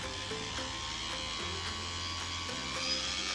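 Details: CC3D drone with programmed ESCs on a charged LiPo above 11 V, throttled from a Flysky FS-i6 remote: a thin high-pitched motor whine steps up smoothly and evenly in pitch as throttle rises. Normal motor spin-up.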